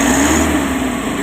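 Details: Mitsubishi L300 Euro 4 diesel after alternator bearing and carbon brush replacement and cleaning: short smooth, even run with quiet mechanical hum, no coughing or knock; the earlier noise is gone.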